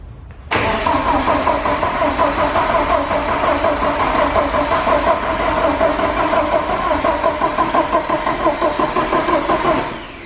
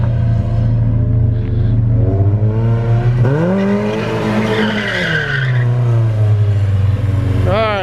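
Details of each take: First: Porsche 944 race car first start after fuel lines, timing belt, balance shaft belt, water pump and fuel pump work: steady rhythmic cranking about three beats a second for nine seconds without catching; fuel starvation, confirmed when starting fluid fired it. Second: Porsche 944 race car driven hard after fresh gas replaced stale fuel: revs climb and fall cleanly under load with tires squealing, no stumbles or misfires; runs really good.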